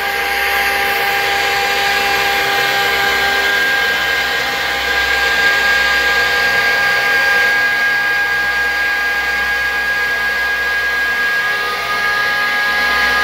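Loud constant rushing drone with a steady high whistle riding on top; the screw compressor sounds harsh and abnormal, cause unclear.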